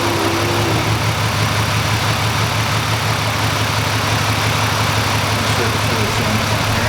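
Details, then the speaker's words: 2005 Ford Freestyle 3.0L V6 with a misfire and no codes, idling, then put in drive under load; a steady idle hum with an uneven, stumbling beat about three pulses a second, a misfire that varies and stands out worse under load. "the misfire isn't so bad as a warmth start getting at this play sometimes it'll get worse sometimes they'll get better but when you put it in here under a load it really stands out"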